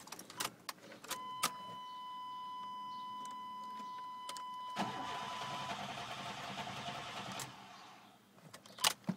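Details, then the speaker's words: Chevy truck that broke down unexpectedly: warning chime, then the starter cranks for a few seconds and never catches, with no fuel pump hum and no fuel reaching the injectors; fuel pump not running. "I don't even think I hear a fuel pump I don't even think I've got a feel up pump cuz my injectors there's not even a trace of gasoline firing for my injectors"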